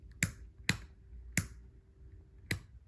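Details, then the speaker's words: 1995 Honda Shadow VLX 600 (VT600CD) no-start: sharp single starter clicks at uneven gaps with no cranking while the start button is held and wiggled; a dirty start switch contact is suspected, to be cleaned with electrical cleaner. "see that look i'm not even moving the switch right now i'm just holding it down and kind of wiggling it and it's giving me a little bit of issue i think that's all the problem is"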